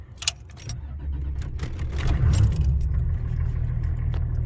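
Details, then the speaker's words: 1985 Cadillac Sedan DeVille, transverse 4.3L V6 diesel, first cold start via momentary glow plug switch since the controller is unhooked: keys rattle, door chime, short crank then quick catch into a steady rumble; healthy. "well here is the first official cold start uh the good old Cadillac ding chimer"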